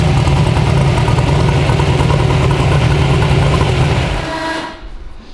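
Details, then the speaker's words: 372 small-block Chevy V8 in an original S10, on an LS tune file with timing added, heard from outside the truck; a deep, loud, slightly lumpy idle with no knocks or ticks before shutoff. Normal idle. "that sounds really good out here does it"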